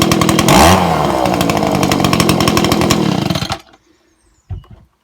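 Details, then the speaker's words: Old Echo ES-2400 shred-and-vac leaf blower (two-stroke) after repair, with the high-speed carb screw turned in because it wasn't revving out: it revs up crisp, holds a clean, steady high buzz, then shuts off cleanly. Now running right. "i did just screw in the high um adjust the screw on the carb needed to be screwed in a bit because it wasn't quite revving out um as it should i think it's okay now"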